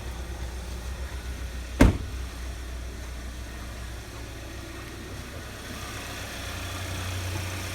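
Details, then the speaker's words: 2016 Hyundai Santa Fe Sport AWD, one owner, inline four-cylinder, heard with hood open at idle: quiet smooth even idle, sewing-machine light ticking, one brief click, no exhaust leaks or valve hammering; normal idle. "Sounds like a sewing machine in there ticking away. There's no loud exhaust leaks. There's no valves hammering."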